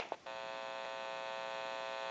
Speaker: since it's an open amplifier it is prone to any kind of static interference or noise in the atmosphere and I'm going to go ahead and press the button you may hear a little bit of an electrical hum